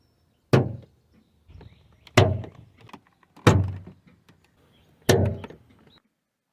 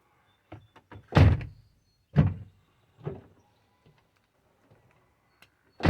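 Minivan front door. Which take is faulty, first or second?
first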